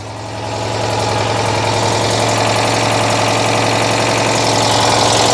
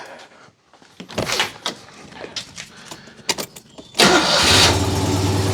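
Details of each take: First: Citroën 2CV flat-twin, just restarted after a no-spark fault: the idle picks up, then a sharp, regular puffing tick about four times a second chuffs through the engine note, from a bad exhaust leak somewhere. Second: Citroën 2CV after ignition troubleshooting (no spark getting through on one side): a few seconds of starter churn, then catches and settles into a steady fast idle; exhaust leak heard, timing still to be checked.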